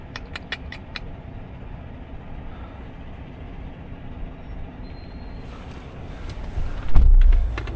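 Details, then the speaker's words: Silverado base LT at an auction, with a rear main seal leak and a front crank seal or other leak at the front: low, steady V8 idle with an even rumble and no knocks or ticks; sounds okay. "Let's listen to this thing again. Sounds okay."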